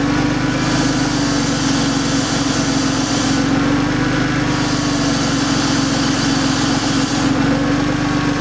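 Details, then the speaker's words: 2003 Porsche 911 996 C4S, Gen 2, idling with oil filler cap released: airy hiss showing crankcase vacuum/pressure; failed air-oil separator, which also causes white-grey smoke chuffing from both exhausts at tick-over. "So as you'll see, apparently the best way to diagnose that the crank is pressurised is if we release the actual oil filler. You should hear the hissing."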